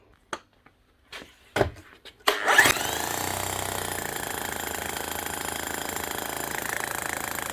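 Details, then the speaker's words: Bosch GSH11E demolition hammer, 25 years old, after light service (old sticky grease cleaned out, new piston and striker O-rings, new Bosch grease): fast, steady, evenly spaced blows with no stutter; normal hammering. "see what she sounds like now she's making a better soon didn't I that's a better sound already"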